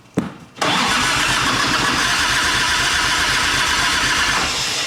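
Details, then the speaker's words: 1989 Harley Ultra Classic Tour Glide Evo, bottom-breather butterfly carb, on ancient gasoline: a brief crank, then it runs fast and steady on full choke at about 3,200 rpm, easing off near the end. High choke idle. "Full choke and idling at about 3,200."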